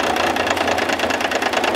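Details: Diesel engine on test stand with battery cart to starter, injector line cracked open to check fuel delivery: rapid clatter with slightly uneven beat as that cylinder drops out.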